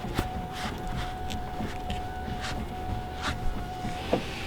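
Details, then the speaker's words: Power window on a junkyard BMW E34 Mopar 440 build: a thin, steady motor whine with scattered clunks and knocks instead of smooth glass travel. This window is judged really broken. "That's a bummer. That one's really broke."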